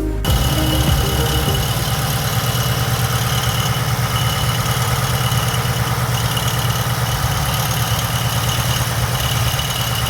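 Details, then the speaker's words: Idling LS3 V8 in a 2016 Holden VF Calais with a performance package: loose, uneven rattle over the low rumble from a broken timing chain dampener, a common failure shedding plastic shards through the engine. "if you guessed broken timing chain dampener then you'd be 100 correct this style of dampner found on later ls engines such as this ls3 are notoriously known to fail on a regular basis"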